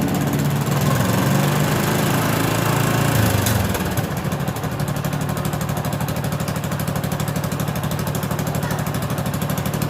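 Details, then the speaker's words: 2011 Yamaha Jupiter MX, carbureted, losing power when riding and climbing: engine revs then falls into a ragged uneven beat that won't pull; weak stator-to-CDI supply starving ignition, causing misfire. "Nah di sini kayak kehilangan tenaga kita teman-teman"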